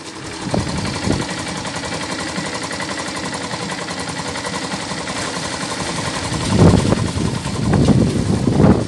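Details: Yamaha SZ 150 single-cylinder after timing chain and tensioner replacement, broken compression release removed and weights stopped: smooth idle without bottom-end knock, clean throttle blips rising and settling.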